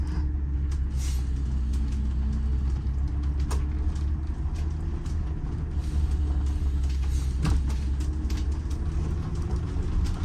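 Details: Detroit Diesel inline 6-71 bus engine climbing a hill under heavy load on the governor: deep, steady drone that labours with no pickup; no power from low compression and a dirty, worn Roots blower.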